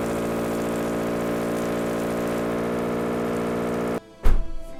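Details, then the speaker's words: Honda F22 2.2L Accord engine rebuilt after a broken camshaft, run without exhaust, power steering pump or alternator: loud, steady, even drone with no knocking or rattles; runs healthy. "well all that hard work paid off it fires up it runs right on dude right oh that's awesome"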